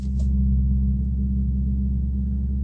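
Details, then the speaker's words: Infiniti M56 V8 with sport muffler: steady low droning buzz under the engine hum at about 1,000 rpm, stopping when the door opens and returning after; owner attributes it to the active noise-cancellation system rather than the exhaust. "buzzing comes back so it is active noise-cancelling system acting up"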